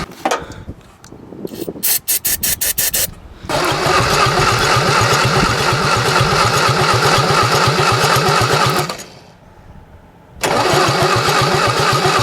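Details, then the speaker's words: 1963 Mini Cooper, engine claimed to be a built racing engine, cranking right after a new starter was fitted: steady fast strong cranking with compression but never catches; plug and wire show no spark, owner suspects bad coil. "The spark plug in a wire and it doesn't have any spark. So I'm guessing looking at the coil, it's probably bad."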